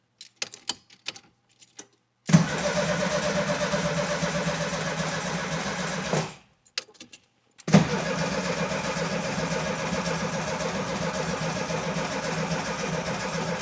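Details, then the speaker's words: VW Baja Beetle that won't start, choke off with air cleaner fitted; two long bursts of steady, even starter cranking, never fires once. Suspected spark-related, though fuel not ruled out since it doesn't smell strongly of fuel. "Well, not a puff or nothing. Damn. It's probably spark related."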